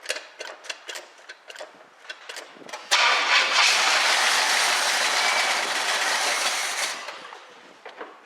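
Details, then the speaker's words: 1976 Pontiac Firebird Formula V8 start from a little gas poured into the carb; starter cranks in quick bursts, engine catches and runs strong a few seconds then winds down, fired right up; fuel line leak seen afterward. "that was great it fired right up I'm going to put a little more fuel in it let it run a little bit longer"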